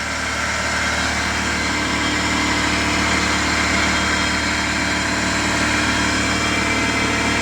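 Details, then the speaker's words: Rebuilt Honda VTEC engine, first start after a stuck starter was fixed: a steady idle carries an irregular light whirring rasp from the clutch release bearing, which needs the engine pulled again to replace. "because it's the clutch bearing we're going to change that it needs to take out the whole engine again change that part"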